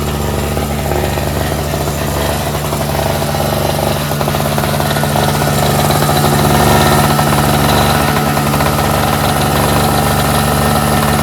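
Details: NOMA 4.5 hp Tecumseh two-stroke 21-inch single-stage snowblower, pull-started after the tar-clogged fuel filter was replaced, on full run: steady, even buzz at constant speed, no misses or surging. Runs smoothly, normal.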